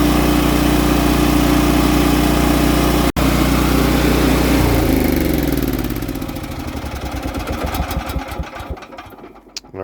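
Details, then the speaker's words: Generac natural gas standby generator, started in manual mode to warm the oil before an oil change (oil clean but a little low): steady, even engine drone with a clean hum, then a smooth wind-down to a stop; normal running. "We're gonna fire it up and warm the oil up, and that's what we're gonna do."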